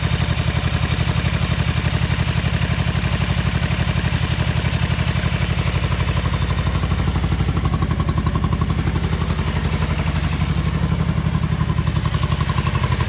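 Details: 1983 Ducati MHR bevel-drive twin, 40mm Dellorto carburettors during balancing at relatively high idle: lumpy, irregular thump about four beats a second, as if only one cylinder is pulling; carbs out of balance, uneven idle.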